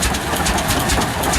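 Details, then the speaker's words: Old twin-cylinder tractor at a heritage show running: slow, even pairs of low chuffs, both cylinders firing cleanly; healthy normal running. "Twin cylinder too, you can hear them both firing there now."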